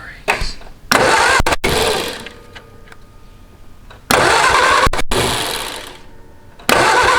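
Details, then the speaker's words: Homemade canoe hot rod built from 1953 Ford Anglia, unrun 47 years, after fitting rotor: three long even cranking bursts, no firing; no spark at plug, dirty distributor cap; crank no start. "oh i felt it in the spark plug a little bit but there's no spark on the plug"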